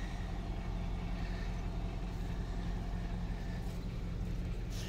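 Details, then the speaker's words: Pickup truck idling with a loose, uneven sheet-metal rattle under the low hum, traced to the loose gas tank skid plate, which changes when touched. "you know i've had this issue before and what it is it's the skid plate on this gas tank as you see when i touch it you hear it rattling"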